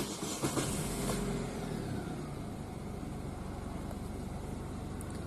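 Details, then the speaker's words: Car whose 2-year-old battery was replaced, starting after fitting a new Fengfan battery: loud, brisk starter whir that catches almost at once and settles into steady running; healthy cranking, unlike the weak start on the old battery. "很明显，这个声音就比较响亮，一下就顶着了。"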